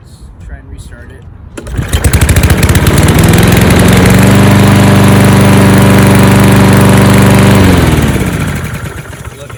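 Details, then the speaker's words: 2013 Toro Recycler 20370 mower with newly installed replacement carburetor, cold start. Fires on first pull, settles into a smooth, even beat, spools down cleanly at shutoff; normal running. "okay anyway so there we go so the 2370 now has a new carburetor installed so what I'll do now is I'll put some gas in it and start it up do a little teaser cold start"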